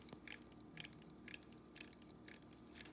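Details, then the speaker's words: Standard Electric Time GRC dual synchronous-motor clock movement with 12-hour correction engaged: correction motor active, faint ratchet clicks about twice a second over soft motor hum, stepping the hands normally. "all right so engaging color correction as you can see there the correction motor is active ratchet is in"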